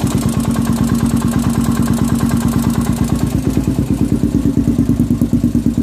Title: 400ex bottom end engine noise after rebuild.